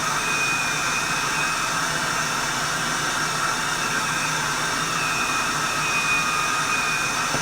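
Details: Reconditioned vacuum cleaner, motor running: a steady high-pitched roar with a faint rough hiss shows a little motor bearing noise, though not the worst. The motor is judged good enough to sell as is without replacement.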